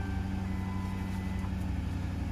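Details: Ford Crown Victoria/Grand Marquis/Town Car after a fuel filter change, no leaks: steady, even low rumble with a smooth, unchanging idle and no knocks or misses; normal idle.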